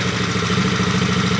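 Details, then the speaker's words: Coolster 110cc dirt bike after swapping in a new PZ20 carburetor, idle screw being set, rpm climbing slightly, possibly idling a little low: even quick single-cylinder putter with steady pulse, no misses or hunting; normal idle. "s like about a good idle right there. That's what I think a good idle is. Might be a little too low. RPM's climbing a little bit."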